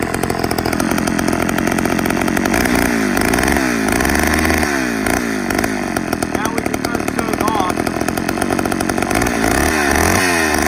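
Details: 1985 Homelite Super XL two-stroke chainsaw, started after not running all year: loud deep even roar holding steady, no stumbling or surging; normal running.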